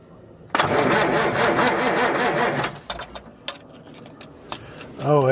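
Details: Old semi truck that sat in a farmer's field for years. Diesel cranks steadily about two seconds but never fires; the injection pump plunger isn't moving, and a retaining washer looks almost off.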